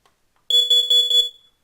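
A short, high, piercing beep pulsing about four times in under a second: a carbon monoxide alarm going off. Cause suspected, not confirmed.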